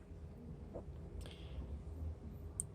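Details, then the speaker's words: Throttle switch heard from underneath: a few faint, sharp clicks as the throttle moves, switching at closed and wide-open throttle; working normally. "so here's the switch from underneath and you can hear as soon as it as soon as I'm as soon as I move the throttle you can hear the switch clicking"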